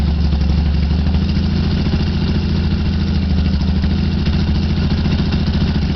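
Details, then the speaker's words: 1976-or-later Yamaha XS650 twin: a steady, even idle with a deep thump. The speed swells slightly as the hard-to-reach sync screw between the linked carburettors is turned with a DIY 90-degree screwdriver. Idle speed changes from carb sync adjustment. "I am going to start the bike and you will hear the RPMs change as I manipulate that screw."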